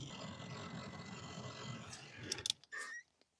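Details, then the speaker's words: MK2 VW Golf heater blower, fan squeaky and resistor pack only working on one speed, before replacement; steady whirring with a thin high squeal on it, then stops amid handling clatter. The blower is noisy. "But also, as you can hear, the fan is quite noisy."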